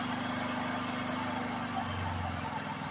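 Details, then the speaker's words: Generator on a Harbor Freight DIY wood-chip gasifier, 1 hour 40 minutes into run: drone wavers and hunts as the fuel hopper empties, inverter cutting loads from insufficient power; unstable running from fuel starvation. "so came to a point where it's not quite as stable as it was so I think we're we're coming to the end of the hopper"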